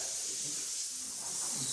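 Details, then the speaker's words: Old air hose blown off a push-on barb fitting that has no clamp, during a crown molding job. Steady high-pitched hiss with nothing low underneath; it needs a new hose or small hose clamps: air leak hiss at hose fitting. "I either need a new hose or some little hose clamps. We need something, man."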